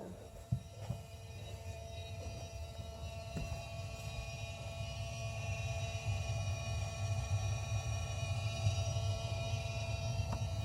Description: Annoying water heater circulator pump noise. We can hear this downstairs. Pump is in the attic upstairs.